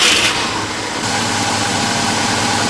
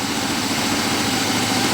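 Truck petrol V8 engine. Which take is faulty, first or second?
second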